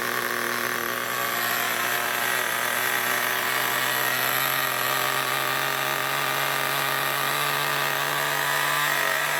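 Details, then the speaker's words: New nitro RC engine after tightening a loose glow plug, running in outdoors: loud, steady high buzz at one even pitch with no misses or sputters, smoking; normal running. "so we're just outside my recording area right now and as you can hear nitros are really bloody loud"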